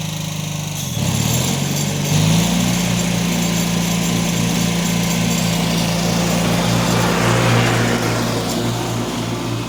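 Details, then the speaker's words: Revived Cub Cadet 782 Kohler single-cylinder mowing heavy growth with 50-inch deck after carb cleaned and pulse pump fitted; pulls steady, even and strong, no bogging or misses, plenty of power: normal. "that was great has plenty of power"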